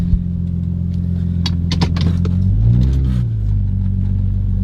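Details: Infiniti G35 started after exhaust piping work to check for pipe tension causing shaking: steady deep exhaust rumble rising briefly with a throttle blip, no rattles or knocks; sounds healthy.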